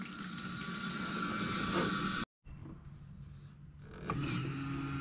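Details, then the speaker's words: BMW E30 twin-turbo LSX, draining the fuel cell with one pump: a steady electric pump whine cuts out, then returns thinner and rougher as it sucks air. The pump is running dry, with the fuel cell likely at least 90% empty. "hear that that's the pump running dry so uh the fuel cell should be like at least 90% empty"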